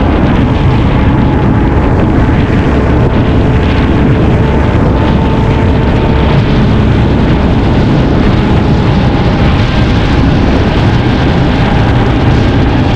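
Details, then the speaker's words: Cox 300 hp V8 twin-turbo diesel outboard on patrol demo boat, sea trial at slow speed with slight throttle: loud steady deep drone, even beat, no knocks or misses; normal running. "kita jalan pelan-pelan yaah halus ya suaranya kita coba gas sikit ya"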